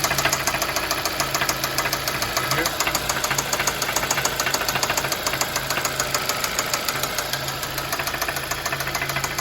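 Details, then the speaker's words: 2014 Hyundai Sonata 2.4 idling, found with only 3 of 5 quarts oil from leak or burning: fast steady ticking three or four per second with duller knock underneath; owner suspects lifter noise and rod knock. "okay guys I'm going to show you what I think is the knocking noise and the clicking or ticking noise uh of the lifters this is a Hyundai Sonata 2014"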